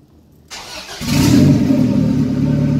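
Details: 1997 Honda Civic EK hatch, turbo B18B1 swap with built bottom end, after idle air control valve repair: catches within a second and settles into an even, steady idle with no hunting; idle fixed.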